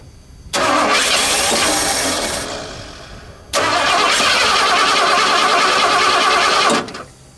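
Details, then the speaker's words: Junkyard Bullnose Ford truck, EFI-to-carb swap, first start attempt: two long bursts of starter cranking that never catch or fire, even with starting fluid sprayed down the carb throat; crank-no-start thought to be from plug wires in wrong firing order (HO diagram probably used instead of non-HO). "Alright, I think I got the right firing order this time. I went with a different diagram. I had to look up non-HO, because I think I was getting the HO one."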